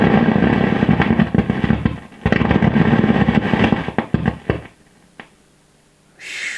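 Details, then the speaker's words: Fender Hot Rod DeVille guitar amp, loud irregular crackles and pops fading to quiet hum while components are warmed and freeze-tested; suspected noisy resistor or capacitor, heat and freezing tests inconclusive, component not yet found. "could be a noisy resistor or noisy capacitor quite hard to uh pin these sort of faults down actually question of um finding the component"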